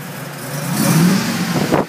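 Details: 2003 Mercedes G55 with Kleemann supercharger, first start after install: short uneven rev with rough, stumbling note and bad idle; misfiring from improper fuel delivery system installation and improper vacuum lines to MAP sensor and switchover valve.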